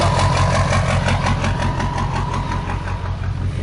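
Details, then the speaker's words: 2000 Ford E350 7.3L PowerStroke diesel van (titled 2001) whose block froze and cracked from water in it, just started: steady idle with a firm, even bop-bop knock about three times a second; diesel idle knock, cause unknown. "bop, bop, bop. You hear a diesel idling like that, there's definitely something wrong."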